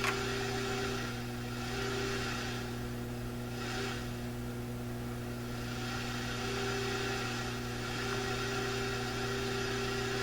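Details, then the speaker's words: Sanyo GXT4505K combo receiver with no FM reception, heard through a signal tracer at an FM circuit point with the receiver volume down: a faint test tone barely rises above a constant FM hiss, a weak signal, so the fault lies further along the circuit. "Oh, listen. Well, that sounds like the FM hiss."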